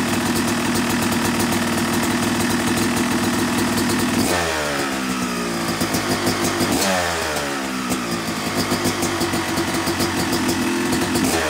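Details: Yamaha YZ250 two-stroke motocross bike (270cc/250cc), break-in after full engine rebuild (bottom end, transmission, bearings, clutch, power valve); crisp ring-ding idle rising cleanly in two gentle blips, no bogging or rattle; normal, healthy.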